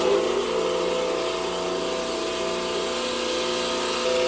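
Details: Delta 28-560 16" bandsaw, first start-up after new tires and belt, blade at maximum tension: steady, even hum with a few constant tones, no thumping or scraping; blade stays on and tracks well, running normally.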